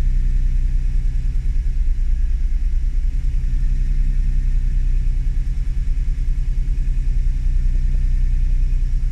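Low idle with a slightly uneven, pulsing beat around three per second rather than a smooth hum; an idle fault, cause not yet found.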